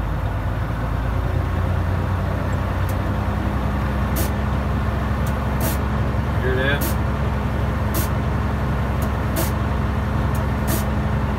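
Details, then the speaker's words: Truck air brake system that froze up, air still clogged, idling around 1000 rpm and only reaching 70 psi: short sharp hissing spurts every second or two as air blows off the compressor relief valve. "spitting out the um relief valve on the compressor so the air is still clogged up"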